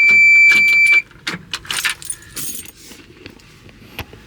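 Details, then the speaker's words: CAT 336 excavator at about minus 20 with wind, intake heater on: key on gives only a high warning beep, clicks and handling noise, no cranking. "So let's see. Yep. Alright, so we got nothing."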